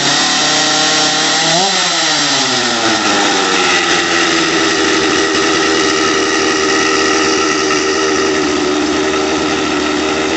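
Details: Stihl MS250 chainsaw after swapping to an OEM carburetor, cold start on choke: fires, revs briefly, then settles into a steady, even idle with no hunting or surging; healthy.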